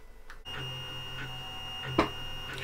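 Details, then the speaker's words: LulzBot Mini 3D printer, second-hand, after fitting NEMA17 stepper motor damper (isolator) on the Y-axis: steady low hum, thin high tone and whirring bursts as axes move; meter test shows it louder, so the damper modification judged a fail. "it's louder so I'd say that was a fail too"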